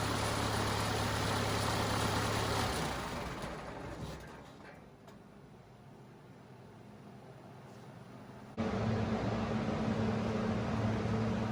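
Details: Cummins 4BT diesel in a Power Wagon on 37s, first start since 2015 (April 2022), temporary battery, 8 psi fuel pressure: steady, even idle clatter with no knocks or misses; normal idle, runs perfectly.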